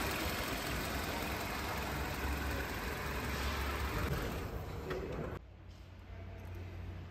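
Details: Toyota Corolla 2ZR-FE 1.8L engine, freshly rebuilt and installed, starting after the rebuild: it fires and holds a steady, even idle for about five seconds before cutting out, with no knocks or ticks; normal.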